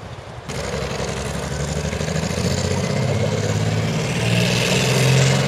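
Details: CVR(T) Striker FV102 Swingfire tank, August 2010: heavy engine churning with an uneven, stumbling low beat and lumpy pulses as revs rise; misfiring badly, caused by a stuck valve; engine later replaced.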